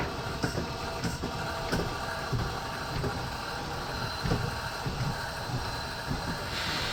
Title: Heartland Indoor Jack system making loud noise.